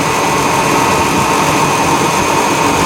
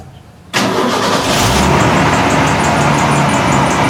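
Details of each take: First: 1991 Ford F150 4.9L I6 after serpentine belt replacement: smooth, even idle with a steady drone and no chirp or squeal from the belt; engine and accessory drive sound healthy. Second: 1991 Ford F150 4.9L 300 I6 at startup: a quick, high, fairly regular chirp rides over the idle from the old, possibly original, likely cracked serpentine belt, before belt replacement.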